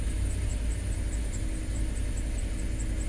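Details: 2005 Land Rover LR3 4.4L idling rough and unevenly with a stumbling beat; codes P0300 and P0302, P0303, P0304, P0306, P0307 misfires; cylinder 7 found dead, high mass airflow reading (20 g/s); several earlier repair attempts failed.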